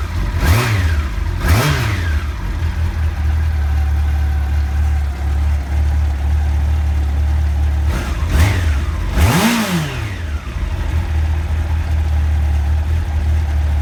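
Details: 1989 Honda CBR1000F with 2014 CBR1000RR stick coils: even idle with crisp blips rising and falling cleanly, firing on all four; misfire cured after reseating coils that PCV grommets had pushed up off the plugs.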